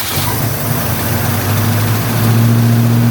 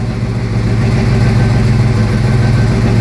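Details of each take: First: 1972 Ford Mustang Mach 1, 351 Cleveland Cobra Jet V8, first start after rebuild with no adjustments, cold and sitting on the high-idle cam: a steady, elevated idle with a slight uneven lope. Cold fast idle after rebuild, untuned. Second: 1972 Mustang Mach 1 351 Cleveland Cobra Jet after rebuild, Flowmaster dual exhaust, Holley 650, heard from driver's seat, not yet warm: deep, lumpy cam idle, loping evenly without stumbling; healthy tuned V8 idle.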